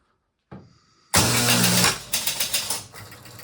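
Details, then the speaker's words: Gottlieb King of Diamonds electromechanical pinball: the score reels reset with a loud clatter, then the score motor keeps running and clicking because the reset relay's switch never changes state. "So, I'll show just the scores resetting the motor spinning here."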